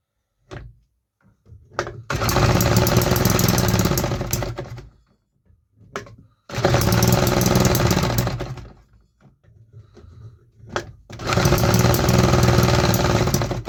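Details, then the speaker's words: 3D-printed 125cc fuel-injected two-stroke on a new test, after opening the injector more per hall-sensor pulse. Three short rough, raspy bursts on starter fluid, each dying within seconds, running about 6 seconds at most; a fueling problem remains. "It still has some fueling issues though. It started on starter fluid. It ran for like 6 seconds. So, that's definitely a success. We still have a fueling problem."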